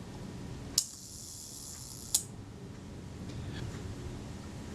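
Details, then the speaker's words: Retina IIC camera self-timer after its speed train was cleaned ultrasonically and in naphtha and lubricated with graphite powder: a click, an even high buzzing whir for about 1.4 s, then a closing click. A normal, free-running self-timer. "yeah yeah that didn't sound too bad and the self-timer is here"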